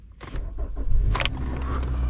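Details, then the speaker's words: 2013 Kia Optima with crank-no-start and no PCM communication, after removing a paper clip and restoring scanner communication: short crank, then it catches and settles into a steady low rumble, starting normally. "it did start all right guys now i can take this car in the shop"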